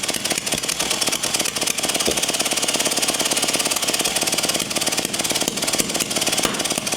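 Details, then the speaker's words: Early-1950s David Bradley walk-behind tractor engine, sat 20+ years, with good spark: fast, even cranking with no firing and no heavy compression strokes. Low compression from leaking valves. "I think it's just not wanting to because we've got so much leaking through the valves so much compression leaking through the valves it's just too much"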